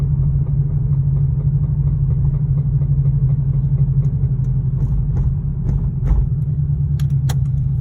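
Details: 2002 Subaru WRX at idle with heavy low rumble and an uneven deep knock, suspected rod knock in the bottom end, not confirmed; engine knocking.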